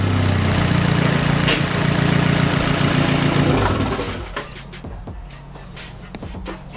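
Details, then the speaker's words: Fiat 500 Abarth, before fitting a Forge blow-off valve: the engine pulls hard, then on lift-off a rapid fluttering chatter follows as revs drop; turbo flutter (compressor surge) with no BOV, which the owner wants to eliminate. "basically why I did get this on though is to eliminate my treble flutter because it's not good"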